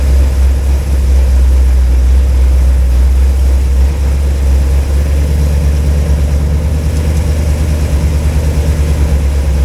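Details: Cold V8 (flat-tappet cam, after a wiped cam lobe and teardown) idling with good oil pressure at 40°F, no water pump fitted so run only briefly; deep, even burble, no ticking or knocking: normal cold idle.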